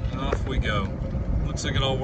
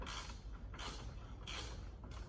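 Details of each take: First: Club Car DS golf cart cruising after the front leaf spring bushings were replaced. A steady low drive rumble and smooth motor hum, with no rubbing or squeal; the front suspension now rides quiet. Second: Club Car DS golf cart front leaf spring before repair, wobbling with nothing holding it because the bushing is missing. Rhythmic creaking bursts come about every 0.65 seconds as the loose spring works back and forth.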